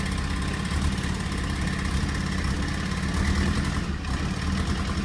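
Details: Mazda RX-7 FC3S rotary with fuel cut, timing cut and limp mode; uneven lumpy low drone with irregular stumbles and misfiring; rough idle, cause not confirmed.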